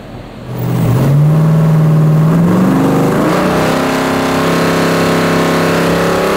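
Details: 1970.5 Chevrolet Camaro Z/28, LS6 V8 with FuelTech FT550 EFI, on hub dyno after ignition timing corrected by about 20 degrees: clean engine note climbing smoothly, holding high and steady under load, strong pull, no misfire.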